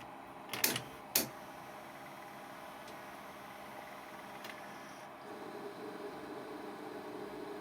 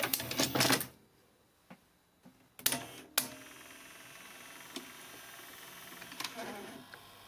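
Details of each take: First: Ferguson Videostar 3V36 VHS video recorder after an earlier repair: two mechanical clunks, then a steady whirring hum builds as the tape drive runs, from a noisy capstan motor about to be replaced. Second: Ferguson Videostar 3V36 VHS deck (HR-D225) after capstan motor replacement and a new belt: mechanical clicks and clunks as the tape loads, then a quiet, even run with a faint motor hum. The old capstan motor was noisy; the deck now runs properly.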